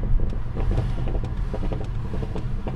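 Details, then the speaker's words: BMW, no ECU coding, popping provoked deliberately by throttle technique, absent on normal lift-off: deep steady rumble with sharp single pops about every half second after lifting off; normal overrun popping, nothing wrong. "das heißt die leute denken dass dieses geräusch dauerhaft vorhanden ist das stimmt nicht es ist nur vorhanden wenn ich es will"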